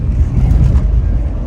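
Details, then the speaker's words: Jeep at cruising speed after new door weatherstripping: only a steady low rumble of air, mostly wind over the roof light bar, with no whistle or hiss around the door seals; normal wind noise. "all i hear now is the wind that passes over the uh sound bar i mean the light bar at the top"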